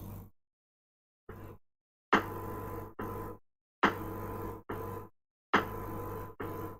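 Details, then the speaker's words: Speaker during music playback suddenly cuts in and out with short bursts of low buzzing hum about once a second instead of music; intermittent electrical fault, cause unknown, unit to be opened. "so i was listening to music on it and all of a sudden it started doing this"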